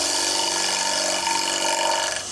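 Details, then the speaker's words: Wood lathe turning a square piece with a bowl or spindle gouge, bevel down, taking a light cut instead of forcing the tool. Steady, even hiss of shavings with a smooth whirr and no chatter or thumping; a clean light cut. "By turning the cut up and taking a light cut. Now what I do is I listen to the sound."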